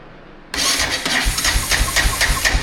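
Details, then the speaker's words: Honda 450 engine with 2,574.9 hours turning over before its carburetor is rebuilt: steady, even starter cranking with strong regular compression pulses and no firing. The owner notes tremendous compression. "Sounds good. Just got to get that carburetor done, and once I get the carburetor done, we'll see if it starts and runs"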